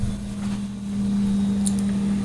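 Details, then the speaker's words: Refrigerator after freezer fan repair, back panel removed and rear vents cleaned, plugged back in: steady low hum at one even pitch with no rattles or clicks; compressor running normally. "the compressor kicking off so we're good there and look there we now have ourselves a working fridge"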